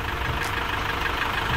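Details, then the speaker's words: Chevrolet Captiva Diesel FL idling after new AC compressor fitted, freon not yet charged; steady even diesel clatter with no knock, miss or squeal; all working normally. "Karena rodanya udah kita pasang, kita nggak bisa lihat kompresornya. Berarti semuanya normal, bekerja dengan sempurna."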